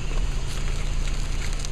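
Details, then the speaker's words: Low, even rumble of a 2000 Toyota Echo rolling slowly while braking right after a first-time DIY front brake pad change. No squeaking or squealing, so braking is quiet. "those sound bee-utiful oh my goodness no squeaking and squealing"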